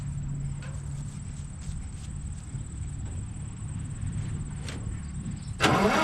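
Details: Oliver 99 tractor, started after refitting the fuel bowl and adding gas: the engine catches and settles into a steady low drone with an even beat, no miss or knock. Normal idle.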